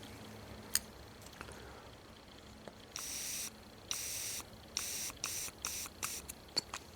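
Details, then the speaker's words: John Deere 130 lawn tractor carburetor after sonic cleaning: air blown through the fuel inlet is blocked with the float up, then short sharp hissing puffs pass freely once flipped and the float drops; needle and seat airflow normal. "So now if I flip it over and the float drops, when it drops, it should allow fuel in. Now you can hear it."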